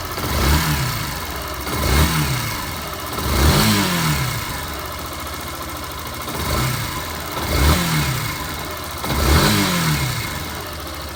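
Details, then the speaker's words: Yamaha Fazer 150 after an engine teardown for a noise, first start while still cold and warming up: revved in short even blips with a crisp rise and fall and no knocks or rattles. Quiet, healthy engine. "Motorzinho bem caladinho, ó."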